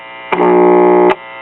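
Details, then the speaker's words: 1950s ShuraTone child's record player, single-stage tube amp with replaced 50L6 output tube (original shorted, noisy): loud rough low buzz cuts in abruptly for under a second when touching the positive amp input connection; mains hum pickup. "To be just a single stage amp, this thing's got quite a bit of buzz whenever I touch the positive connection of the amp input,"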